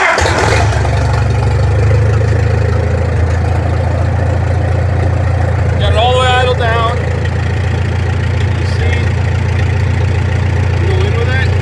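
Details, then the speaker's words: Farmall M tractor with open exhaust after a carburettor rebuild, at idle. Soft, uneven "flubbling" beat instead of a crisp one; the idle mixture is too rich. "See how it's kind of flubbling there? It's a little too rich."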